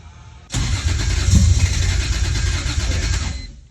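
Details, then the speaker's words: E46 BMW M3 with a 1.5JZ swap on its first start attempt: starter cranks at an even, fairly quick rhythm for about three seconds but never catches; cause not confirmed. "almost started. Almost. That's what I want to know. Why does it suddenly go, ah, and then scare itself and it's not starting anymore."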